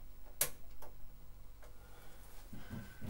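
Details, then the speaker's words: Potterton boiler after replacing faulty PCB (flashing red light), power restored, thermostat reset to manual at 25: igniter ticks then low rumble building as burner lights; normal ignition, boiler repaired. "should now kick up and fire up. Voila, one repair boiler."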